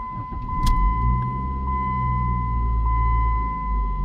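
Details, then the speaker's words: Dodge Neon with swapped throttle body parts and a 2002 automatic idle air control valve, A/C on: a short crank, catches at once, then a quiet steady idle that lifts slightly under a chime. Starts normally and idles up. "I don't know if you can hear any of that because this car is so quiet, but it it starts like uh my 2000 or any of the rest of them. Now, it idles up."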